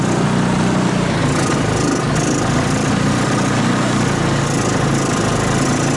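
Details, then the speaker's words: 2014 Linhai Big Horn 400 UTV, which died and lost spark, restarted on a portable 12V CDI ignition after a new plug and harness rework, with air cleaner off and battery not charging. Loud, uneven, stumbling single-cylinder beat with no settled idle; rough, still needs attention. "well well I think I got it running again it's obviously uh but goodness but I'm not happy you have she seems to be fussy"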